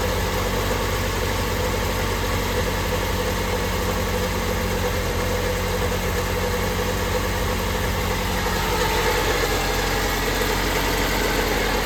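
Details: Honda Civic first run after engine work: a steady, even four-cylinder idle drone with no knocks or misses, and no check engine light. A small coolant leak at the intake manifold fitting would spray onto the exhaust, so the run is kept short.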